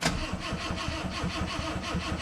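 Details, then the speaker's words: 1979 Honda Accord barn find: starter turns the engine over in steady pulses but it never fires, and no fuel pump hum is heard; pump suspected not running, though it may just be masked by the noise. "Est-ce que j'entends la pompe? Vas-y. J'entends pas la pompe à essence."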